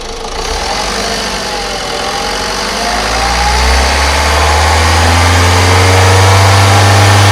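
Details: Ford EcoSport engine settling to idle with a steady low drone and an uneven pulsing underneath; the engine noise has no identified cause.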